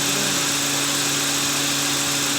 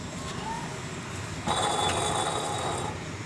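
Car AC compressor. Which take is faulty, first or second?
second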